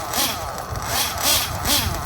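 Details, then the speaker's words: Well broken-in RC nitro engine with no mechanical pinch and good oil seal, being warmed up: even idle picking up cleanly in short blips, no stumble or sag; starts effortlessly, runs very consistent, normal idle and revving. "This engine has no mechanical pinch left. It has a good oil seal. So it idles very, very smooth. And it screams down the straight. Starts effortlessly, runs very consistent."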